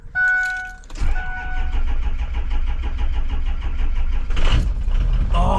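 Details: Diesel vehicle that had been sitting, very cold, battery around 11.6–12.3 volts, jump-started with a Loki Thor J3250 jump pack: chimes, about three seconds of laboured cranking, then it catches and fires.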